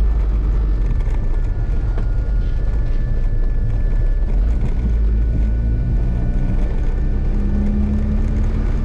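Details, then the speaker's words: Honda CRX AWD with B18C1 GSR engine, first drive after the swap: loud, deep, raspy exhaust drones steadily and rises with throttle, because the system has no resonator. "straight up this thing sounds like a pure ricer no resonator and it's raspy as hell"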